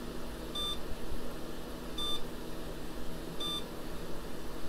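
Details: IBM 80386 build at startup after failed Windows 98 install, seeing only 640K: short high beep repeating about every 1.5 seconds over fan hum; owner suspects memory sticks in the wrong SIMM sockets, unconfirmed.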